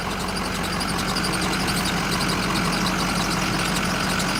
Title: Squeaky Noise?